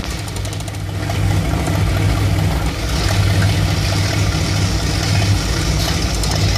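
Warm V8 idles unevenly, with a low lumpy beat that rises and sags instead of staying smooth; a rough idle of unknown cause.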